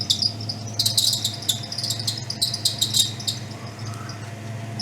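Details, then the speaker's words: 1962 Ford Thunderbird, 390 V8 with three-speed automatic, revved after fitting a brand new alternator while checking charging: shrill chirpy squeaks in bursts over low engine hum; alternator belt slipping, needs tightening more. "All right, so we've got some gnarly belt squeak. So, ignore ignore that."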